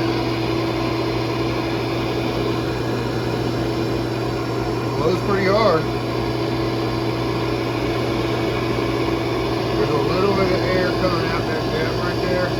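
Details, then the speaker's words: First test run of the blower for a DIY heat treat oven: a steady, even motor hum with a constant airy rush and no rattles or surging. It blows air well. It functions normally. "but it's blowing air pretty good, so at least it functions."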